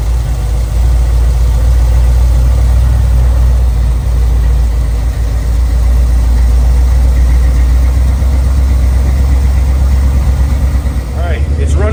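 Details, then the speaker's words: 1987 Z28 Camaro or 1985 Monte Carlo, long-sitting car fed from a temporary fuel pump line with very old gas: deep, loud idle with an uneven, loping beat that never smooths out; rough idle, old fuel suspected, improving as it warms. "on its own now it's probably not running good that gas has been in there a long long time I don't expect it to run good"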